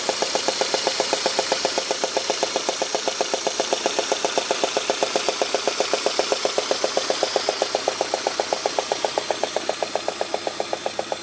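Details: Peugeot 106 GTI petrol engine at idle, head done 3 months earlier: a steady, sharp knock about four times a second, traced to a failed 4-month-old (5000 km) spark plug.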